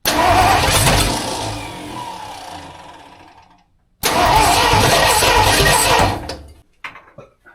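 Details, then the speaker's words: Freshly rebuilt budget 302 V8 in a tow truck, first start with starting fluid: two short ragged firing bursts that die within seconds instead of idling; catches but won't keep running yet. "Okay, now got some Cosby sauce, and it's damn close."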